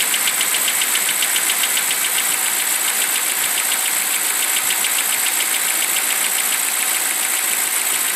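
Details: BMW 745i E65 just after a cold start at 2°C outside: sharp, light clacking about three or four times a second over a quiet idle, gone after 1 min 20 s; owner suspects an old chain tensioner.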